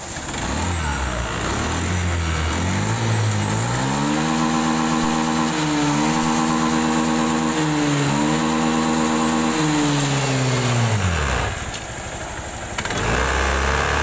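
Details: Honda Scoopy fuel-injected scooter with a TPS error that stuttered and lost power at full throttle; after the throttle sensor workaround (hose added at throttle body), small single revs climb smoothly and hold with no stumble or cut-out at high revs; fuel pump pressure checked OK.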